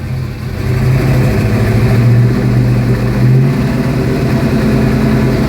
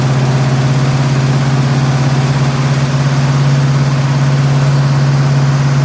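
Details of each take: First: 1972 Ford Mustang Mach 1 with rebuilt 351 Cleveland Cobra Jet V8 (roller rockers, forged pistons, 10.5:1 compression, Holley 650, Edelbrock intake, Flowmasters), not yet warm, heard from the driver's seat: smooth burble blipped to about 2000 rpm, no knocks. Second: 1972 Mustang Mach 1 351 Cleveland Cobra Jet, first start after rebuild, cold, on the high idle cam with no adjustments yet: loud, fast idle with lumpy, uneven beat; untuned rough high idle.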